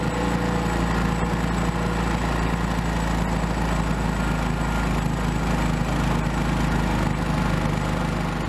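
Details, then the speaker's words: Old Honda small engine, sat unused for years and previously running only on starting fluid, now idling after repair and throttle reconnection: steady, even low putter with constant beat, no misses or knocks; normal idle. "now that this engines running I can finally put it to use"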